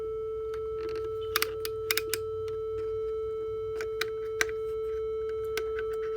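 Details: Behringer synth played via MIDI from port A: steady mid-pitched drone holds unchanged while switches click and knobs turn; only one stuck tone sounds, no decay or oscillator control, silent when switched off.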